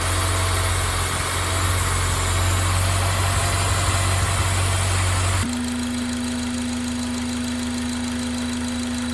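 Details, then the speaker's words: Honda Integra DC5 Type R petrol engine idling with a fast, light chirping, about three or four chirps a second, heard from the engine bay to the driver's seat; A/C compressor replaced with a rebuilt unit, plus alternator refit. "ルキルキルキル言ってるんですよね。これどこがエンジンルームまで、じゃあ運転席までキルキルキルキル聞こえるんですよね。"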